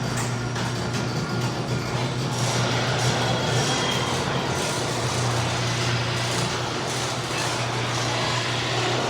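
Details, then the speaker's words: Garage door opening, before applying 3-in-One garage door lube: opener drones and rattles with faint high squeaks from dry, unlubricated rollers and hinges. "All right, so you guys heard that garage. It's pretty loud actually."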